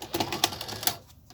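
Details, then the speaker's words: 1984 Sanyo Beta VCR model VCR-3 loading a tape before opening: a few sharp clicks and thin, labouring whirr that fades out early, weak loading mechanism lacking power. "doesn't really have a lot of power to it did it going I think this deserves being opened"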